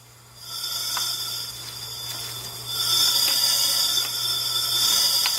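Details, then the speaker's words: Cylinder leakdown test, about 40% leakage: steady hiss of air escaping out the opened throttle body, showing the intake valve on that cylinder is not sealing; radiator showed no bubbles. "you can definitely hear that right out of the bottle buddy so that tells you that the valves on intake side are not sealing which means you have a leak on your intake valve"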